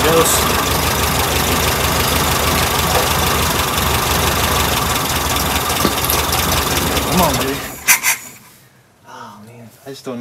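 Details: 1967 VW Karmann Ghia air-cooled engine, abandoned 45 years in a barn: idles roughly and unevenly about eight seconds, then quits abruptly. Owner suspects the fuel pump isn't working, so it runs only on fuel poured into the carb bowl until empty.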